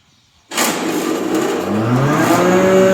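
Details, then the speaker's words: Restored John Deere 6A hammer mill with new bearings and a 3 hp, 220 V motor converted to single phase: instant hard start, then a smoothly rising whir with no hesitation; normal, healthy motor startup. "can see it fires right up. There's no hesitation on startup. That 3 horsepower, 220 volt motor starts strong and runs strong."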